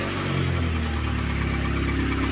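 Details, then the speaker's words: Chevrolet Optra/Lacetti/Forenza idling with the accessory belt removed: steady low hum with no knock or squeal. The earlier loud noise is gone; the belt tensioner pulley is found to have axial play. "y bueno como pudimos escuchar ya no suena el ruido fuerte que sonaba entonces"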